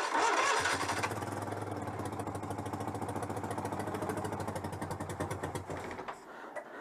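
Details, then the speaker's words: Citroën 2CV AZLP6 engine being fitted with a centrifugal clutch, test-run off the kill switch without ignition key: steady old-style starter cranking about three and a half turns per second for several seconds, then stops; normal starter. "ça fait le bruit du démarreur suis vraiment à l'ancienne façon"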